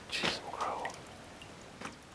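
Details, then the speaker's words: Drain valve on an electric heating system: two single drips about 1.5 s apart in a quiet room; leaks no matter how tight, small rubber seal washer to be replaced. "and it's still leaking no matter how tight i make it"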